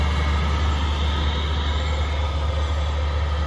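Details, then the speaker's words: Chinese diesel heater, quiet install with muffler and cushion over the unit; constant low rumble with a soft airy rush, mostly air blowing out, no rattles or surges: normal running. "that's the most noise you get is the air blowing out"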